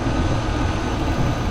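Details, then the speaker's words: 5.3 V8 two-wheel-drive truck at auction, oil recently changed, no blow-by seen: steady, even low rumble with no misses, knocks or ticks, warm engine idling smoothly; normal idle. "i think sounds like it's purring too so i'm surprised that this thing is as it is right now"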